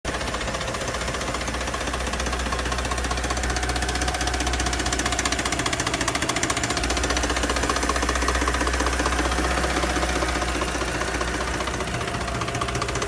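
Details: Mercedes-Benz M272 engine (W211) before repair: hollow, even knock about four times a second over the idle from pistons rocking in scuffed cylinder bores; piston slap.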